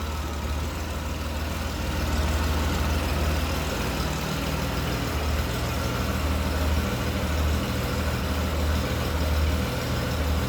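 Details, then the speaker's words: 2000 Honda GL1500 Goldwing, about 60,000 miles, sat over a year, after carb rebuild, new battery and fuel treatment: smooth low even purr at idle with no misses, knocks or ticks; normal idle, runs well. "but i know you heard it run on the last video i'll crank it up real quick burr's like a kitten"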